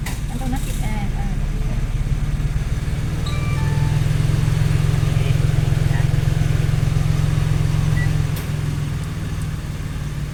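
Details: Mitsubishi Mirage that would not start, running after repair: steady, even low engine hum holding constant speed with no misses, knocks or stumbles; the engine is running normally.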